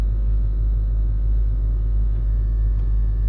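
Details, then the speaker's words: Range Rover L322 3.6 TDV8 air suspension settled on bump stops, codes CA120-64 and C1130-7A, Hitachi compressor: steady low drone with gentle even pulse, no knocking; compressor running and raising the vehicle. "is the compressor going to lift us? Here we go. The compressor is running and"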